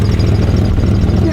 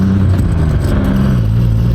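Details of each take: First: 1992 GMC Sonoma (OBD1) with almost 200,000 miles, idling fairly well with the check engine light off; deep, loud, blatty exhaust rumble at a lumpy idle because the catalytic converter has been cut off. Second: Truck engine revving up with a deep, even note after repair, pulling smoothly without the earlier jerking or stumbling; now idling at the right speed and running better than before, exhaust somewhat noisy.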